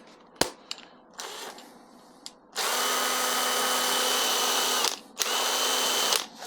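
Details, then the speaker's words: Ryobi drill run on a CEENR universal battery adaptor with a universal battery: short blips, then a steady high whirring at full speed with a brief release and restart; smooth, even, powerful run; normal running. "so as you can see, works really, really well."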